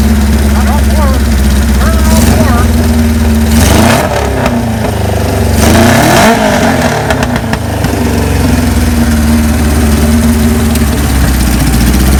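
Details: 1978 Kawasaki KZ1000A four-cylinder, believed original miles, estate bike, maiden hot-wired startup with small gas leak: steady idle with several quick revs, smooth, no knocks; normal idle and revving.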